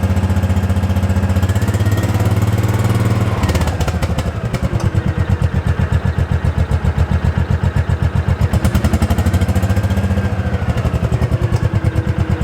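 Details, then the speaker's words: 2005 Kawasaki Mule 600 after fitting a new spark plug (old one bad): steady low thumping about four beats a second, even with no misses or rattles; runs like new after the misfire and no-start fix. "seems to be running good i think that did the trick took her for a test drive to make sure everything was okay and she seems to be running like a top just like new"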